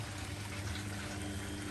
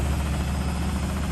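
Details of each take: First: Washing machine in a shed on temporary plumbing, draining just before final spin with water left on for the sump flush: steady low pump hum and evenly rushing, splashing water, no grinding or rattle; normal drain pump-out. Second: Beko washing machine on fast spin in a shed on a wooden floor: deep, steady low rumble with the floor shuddering and a light banging against the shed; the machine is unlevel and rocking.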